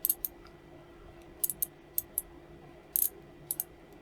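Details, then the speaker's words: Vauxhall Vivaro window control board relay, coil energised during bench testing in a board repair: crisp, sharp single clicks at irregular intervals over a quiet background. The relay switches cleanly and sounds healthy. "Oh, no. I heard it click. That's better."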